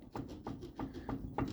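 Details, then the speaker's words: Dull, evenly spaced clunks, about three a second, as the wheel is rocked on an electric-converted MG Midget; play felt, both wheel bearings worn out and due for replacement. "I can feel the play. Both wheel bearings are shot, so I have to fix those."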